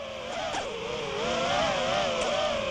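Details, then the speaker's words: FPV quadcopter in flight; buzzing motor whine wavers with sudden dips and twitches, looking like a gyro glitch, though pilot says gyro was not the cause; intermittent problem, cause not yet shown. "you can see it seems like a little bit glitchy gyro and right there completely wigs out"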